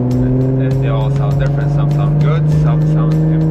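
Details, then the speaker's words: 2017 Jaguar F-Type V6 with muffler deleted, lacking the factory active exhaust, cruising: deep steady booming drone filling the cabin, so loud the driver wears earplugs; exhaust drone from the muffler delete. "those are earplugs I'm wearing I have never heard so much droning from an exhaust in any more"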